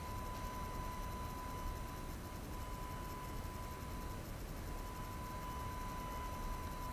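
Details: AFI VS-3SG 3-axis handheld gimbal, recorded at night with no surrounding sound: thin steady high tone near one kilohertz over quiet hiss; motor whine audible in recorded video.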